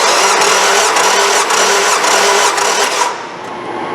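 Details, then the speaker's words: 2003 Nissan Altima 2.5 with a P0301 misfire, compression test at wide open throttle: steady rapid cranking at about four beats a second, and this cylinder reads only about 110 psi against an expected ~154; low compression. "I believe 110 was already somewhat low believe this motor if you check with on data or benefit I think it should be somewhere around like 154 held to compression"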